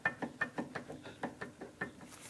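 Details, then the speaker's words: 1969 VW Beetle IRS rear wheel, drum off, hub rocked by hand up-down and both directions: quick uneven clicks and clanks, about seven in two seconds; excessive play from loose, worn rear wheel bearings, to be replaced inner and outer. "and then this way as well so it's both directions up and down so we just don't think there should be that much play and that much sort of clicky clicky clanky clanky noise"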